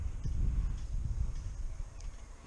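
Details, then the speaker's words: Spinning rear bicycle wheel gives a faint, clock-like tick-tock knock over a low rumble; another snapped spoke on the same wheel. "Is it a broken spoke? Because I can hear something knocking. Yeah, that sounds like a broken spoke."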